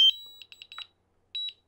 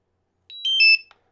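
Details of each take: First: DJI Mavic Air controller after pressing return-to-home: a brief initial high chime then repeated quick high beeps continuing until the drone returns; pressing the button again or pause stops it. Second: DJI Mavic Air remote controller being switched off: quick three-note chime stepping down in pitch, the normal power-off sound, not a warning.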